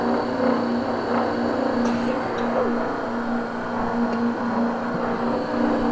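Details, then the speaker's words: Ten-year-old Vaillant 837 boiler, never cleaned and run without inhibitor, firing on high: steady roaring rumble with a held hum and buzzing rattle as a blocked coil overheats and vibrates against the others; blocked main heat exchanger kettling. "okay so basically what you're hearing there is the coils vibrating where they're overheating within the boiler"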